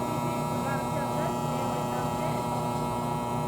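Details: Air conditioner condensing unit running and cooling: constant low electrical buzz that stops when the unit is pressed down; owner suspects fan motor or a loose front grille/cover — buzzing.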